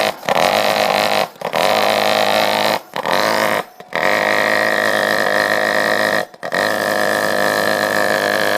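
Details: Lennox pulse furnace on a much-too-small gas line: loud rasping pulse-combustion roar that cuts out four times and relights; combustion drops out from gas starvation.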